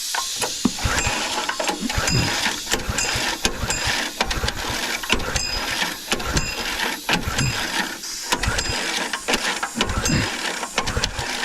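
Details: Small petrol-engine air compressor building air for a 1980 K-Whopper picker truck, up to about 90 psi: a busy, rapid, even clatter with a steady rhythm and no misfires. The compressor is running normally.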